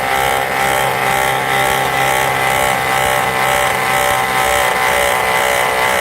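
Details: 2005 Volvo V70 with the engine running: a gritty rattle and whirr pulsing with rotation from the overrunning clutch alternator pulley, which wobbles slightly side to side. The alternator's own bearing was also found worn.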